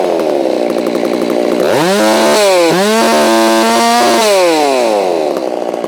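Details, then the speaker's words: Holzfforma G660 chainsaw that lost power at the top end while milling, tach pickup at the spark plug with the cover on. It idles with a rattle at about 3,600 rpm, then screams at wide open throttle at over 13,000 rpm. Far too high and set lean; the high-speed needle needs opening. "Oh yeah, that's way too high. So I think I saw 13,000 something there."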